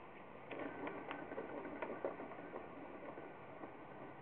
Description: The bearings clicking and popping while I spin the wheel by hand.